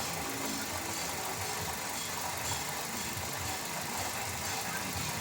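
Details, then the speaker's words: Toyota Avanza at idle, misfiring despite new spark plugs: loud busy clatter over uneven idle, far noisier than normal; mechanic blames missed oil changes with hardened old oil. "Sama, maingay yung makina nito. Oh, pakinggan mo oh."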